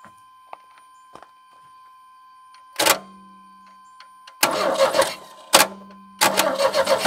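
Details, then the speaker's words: 1989 Chevy S10, 2.5L Iron Duke four-cylinder, 5-speed, abandoned about 22 years: with 50:1 two-stroke gas poured down the throttle body it fires in short rough bursts that catch and die within a second or two; spark was weak. "it does run yeah we'll just spill it all over the top of the engine"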